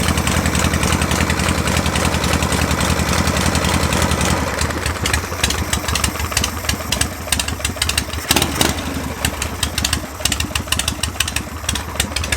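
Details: Harley Shovelhead V-twin at 73°F, after installing vintage-style Raj spark plug terminals: fires up, throttle blipped briefly, then drops into an uneven loping idle with crisp exhaust pulses and no misses. Runs normally on the new terminals.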